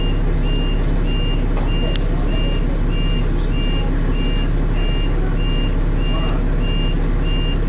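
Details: First Manchester Dennis Arrow bus R443ULE, with a slipping ZF gearbox: steady high dashboard alarm beep about twice a second over a low diesel idle; the bus possibly overheated, as the driver called the depot mentioning temperature.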